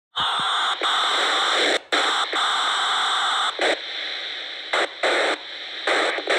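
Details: Harsh hiss and loud static from an MTX8000 radio, cutting in and out in bursts with short silent gaps; cause unknown.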